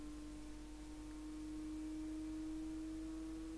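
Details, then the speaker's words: Raspberry Pi 4 Model B starter-kit case fan just powered on, sitting on a desk; steady mid-pitched hum, loud, vibration through the desk amplifying it: loud fan drone. "ah ça fait du bruit je pas si vous entendez forcément sur le bureau quand c'est posé ça fait vibr ça fait vibrer"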